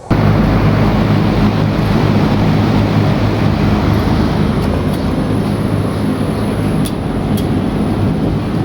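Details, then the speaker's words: 420,000 BTU VRF system (2 outdoor, 15 indoor units) during commissioning, error cleared after corrections at stage 10, entering test run; both outdoor fans on; steady low fan and compressor hum, no rattle or knock; normal running. "I thought the fan them are blowing now. So both fans are on."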